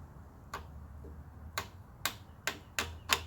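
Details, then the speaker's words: Long-stored auction generator with the starter wired directly, bypassing the original wiring: single sharp clicks at irregular intervals, about six in three seconds, with no cranking; the starter only clicks. "yeah that ain't getting me nothing is it guys"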